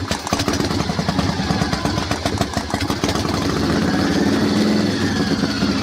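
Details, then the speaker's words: Harley-Davidson Panhead with distributor and advance, warming: loose lumpy even V-twin idle that steadies as it warms; no knocks, sounds healthy. "some say this is the best sounding engine of all on harley-davidson and i can quite agree with them box along like an old agricultural implement"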